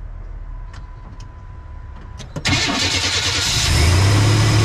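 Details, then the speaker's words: 1993 Chevy Silverado 4.3 V6, automatic, 2WD, after fuel pressure regulator replacement: starter cranks briefly and the engine catches into a steady, even idle; before repair the idle was all over the place. "before the engine was like the idle was all over the place so we are going to um start the engine and i believe we should be okay so let's do that"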